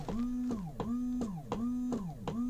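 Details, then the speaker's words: 2012 Elddis Avante 566 caravan, cassette toilet flush pump run via blue button with no water in system: small pump whirrs in quick pulses, about three per second, rising hum each cycle; flush pump running dry. "can you hear the the pump running there we've not got any watering in the system at the moment"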